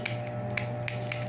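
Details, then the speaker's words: Ceiling fan used for years, never greased: sharp irregular ratchet-like clicks three or four a second over steady motor hum; dry ungreased spring in top housing, fix is greasing the spring. "parang ruleta, dito yan sa loob na tong spring na to. So para medyo tatahimik siya, lagyan natin tong spring dito ng grasa."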